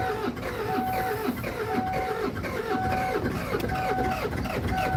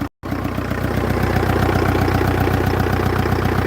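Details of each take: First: Kia Sedona diesel, after bleeding injector lines and priming the hand pump: steady starter cranking with a whine pulsing about once a second, nearly catching but not firing; air in fuel lines. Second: Kia Sedona diesel, first run after cam belt change with intercooler off, some smoke on start: even clatter at about four beats a second, steady with no stumbling; healthy idle.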